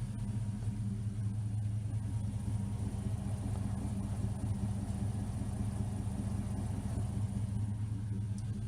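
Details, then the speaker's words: 1979 Firebird with 5.3 V8 swap, after ICT billet relocation kit and new injectors credited for improved idle; steady even low rumble with regular beat, no misses or ticks, smooth idle. "It just sounds smooth."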